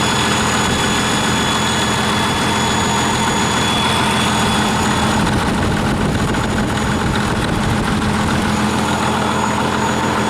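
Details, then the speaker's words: 1959 Caterpillar D337F diesel genset, about 959–960 hours, long stored in a barn, first run after revival, no load, barely up to operating temperature: even steady diesel clatter at constant low speed, no misses or knocks; normal idle. "it seems to do pretty well of course them have a load on it or anything you know it's it's barely up to operating temperature"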